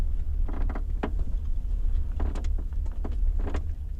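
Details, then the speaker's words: BMW X5 E53 being driven, microphone in the boot. Irregular bursts of creaks and squeaks over low road rumble, because the upper tailgate lid doesn't press tightly against the lower lid. The fix is electrical tape. Tailgate squeak. "вот с такими вот скрипами я передвигаюсь на протяжении уже нескольких дней"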